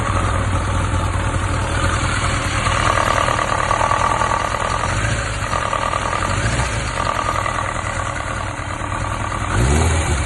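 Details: 1995 Kawasaki ZX1100 (ZZR1100) four-cylinder at idle, knock heard at the side cover when the bike is leaned slightly to the right: faint irregular knock through the engine note; cause not determined.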